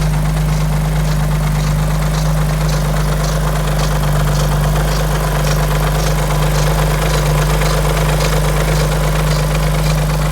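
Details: Alfa Romeo 147 GTA V6 24V on a cold morning start: heavy low idle drone with a faint loose ticking rattle from the front of the engine. It fades as the engine warms and is absent when warm. Cause not yet diagnosed.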